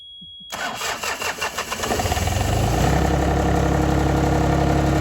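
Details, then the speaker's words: 1990s John Deere F1142 diesel mower in January, glow plugs working, starter jumper-wired: slow even cranking for about two seconds, then it catches into a steady diesel idle. Starts and runs fine. "But just to test starter and everything else, we're going to attempt and see if I've got a jumper wire and see if it will crank on its own and run. We know the glow plugs have been working."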